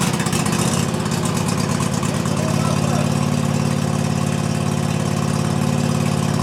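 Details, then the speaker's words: Lawn tractor started on the Mustang's battery with half throttle and choke: it catches quickly and settles into a steady, even idle with a regular beat. Normal start and idle. "She should start right up now. Half throttle choke."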